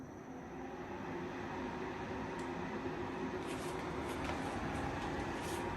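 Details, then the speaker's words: Midea U-shaped 10,000 BTU window air conditioner, new, cooling mode on automatic at 22: steady even rush of air over low hum, no rattles or knocks, more noise than owner expected; normal running. "so that's the sound it's making i think it's more uh more noise that i was expecting"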